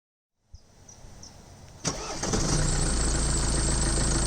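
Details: Mercedes-Benz OM651 diesel with timing chain rattle, before and after clips, both cold starts, the second 10°C colder: brief cranking, then the engine catches and settles into an even, steady idle with no rattle.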